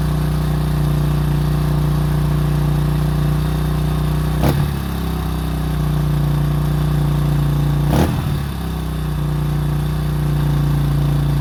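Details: 2005 Honda CRF150F after valve adjustment and carburetor tune-up fixing a no-start and high idle: steady, even single-cylinder idle with two quick throttle blips settling cleanly back; running normally.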